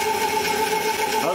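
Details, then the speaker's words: 14-inch Grizzly bandsaw after upgrades with new bearing guides fitted. A steady, even motor hum with constant pitch and no ticking, rubbing or blade slap; there is slight wheel movement, just barely touching, and it runs with almost no noise. "a little bit of movement on that wheel there just barely touching almost no noise at all out of it"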